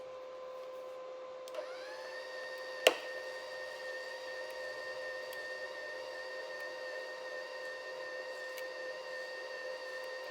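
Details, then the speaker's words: Seesii MIG-135 inverter welder feeding wire through the gun, no welding, after the wire first failed to move: clean, steady feed-motor whine rises to speed and holds an even pitch; wire feeder running normally. "can feel it running through the gun. And hopefully we'll have a little wire coming out soon."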